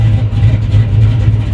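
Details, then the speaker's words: 1994 Chevy C1500, 269,000 miles, carbureted built V8 (BluePrint Engines receipt), first start after purchase: deep even burble pulsing as throttle is blipped, no knocks or misses; sounds strong and healthy. "oh wow okay um ho holy crap that sounds good wow not going to lie I wasn't expecting that at all"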